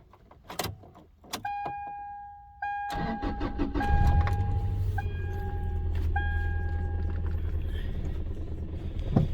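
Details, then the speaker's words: 2004 Toyota Tacoma SR5 2.7L with code P0304: a chime, then a start settling into an uneven, lumpy idle with a stumbling beat and the engine visibly shaking. Cylinder 4 misfire, traced to a bad ignition coil. "el motor anda muy tembloroso Te vamos aquí a prenderla Para que vean"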